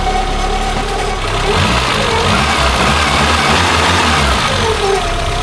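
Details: Peugeot 205 at idle after belt-noise checking with soapy water: engine ticks over evenly with the cooling fan whooshing, no leaks or misses. Sounds healthy.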